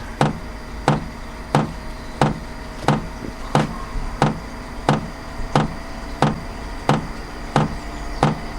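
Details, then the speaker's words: HCALORY HBH2 5L 8kW diesel heater, warmed up, normal altitude mode at 81 m above sea level: crisp even fuel pump ticks about 90 a minute over low steady fan hum, runs fairly quietly once hot; normal running. "So you can hear once it heats up, it runs fairly quietly."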